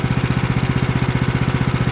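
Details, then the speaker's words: Woodland Mills HM130 Max sawmill, 14 hp Kohler single-cylinder, idle turned down so centrifugal clutch no longer engages prematurely: even idle thump about twelve beats a second, no metallic ting from clutch; normal idle. "don't hear the ping anymore so i'm going to turn it up until i do right there it's just starting turn it down just a little"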